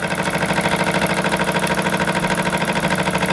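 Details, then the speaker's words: Jensen 76 model steam engine on dry fuel after rebuild/tune-up: quick, even chuffing with no knocks or stumbles, holding pressure. It runs far longer than before the repair. "So as you can tell from the clip earlier, this is lasting a lot longer than it did before. It really goes to show how much a tune-up can help it out."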